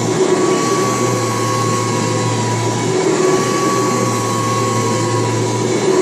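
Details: March 1989 Kirby Heritage 2 / Legend 2 (2HD) vacuum, restored with new foot switch, power cord, brush roll and light bulb: steady motor whir, constant hum and clean high tone, no rattles or scraping; normal running.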